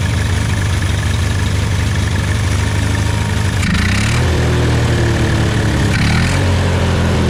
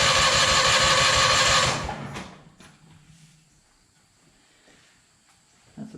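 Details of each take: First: Hobart welder generator from a scrap yard, unused for many years, after replacing the main and idle jets and a new gasket: steady low petrol engine idle, brief dip near eight seconds then even beat; normal idle. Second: Hobart welder generator, unused for years, battery weak so jump box added: fast, even cranking about three beats a second for two seconds, never catches; fuel starved, fuel then dribbled into the carburetor.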